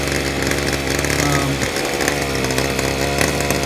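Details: Ryobi SS30 30cc straight-shaft two-stroke trimmer, after fixing a primer bulb that would not fill with gas: bright, steady buzz holding speed with no stumbling or surging; it runs as it should after the fix.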